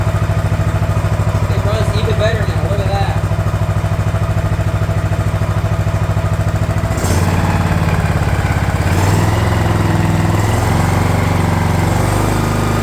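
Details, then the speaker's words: DR all-terrain mower, Kawasaki FV420V engine after years sitting: following oil change, carb cleaning and new air filter, thumps unevenly at first while the bowl fills, settling to a steady even beat around seven seconds; carburetor now called perfect. "but that ran really good that was pretty good Improvement so carburetor is 100% perfect now"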